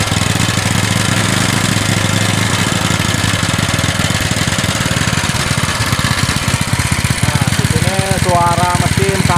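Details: Honda GX160 single-cylinder engine lacking power, heavy and rough: fast chugging with ragged uneven beat and clattery top end, before valve clearance adjustment; fixed by resetting valve clearance: rough running from excessive valve clearance.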